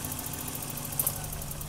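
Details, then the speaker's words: 1984 BMW 318i M10, 65,000 miles, new distributor: quick, light, even ticking, about eight per second, over idle surging 600–800 rpm; ticking attributed to the ignition control module, idle control valve suspected for surge, unconfirmed. "Hear that ignition control module clicking?"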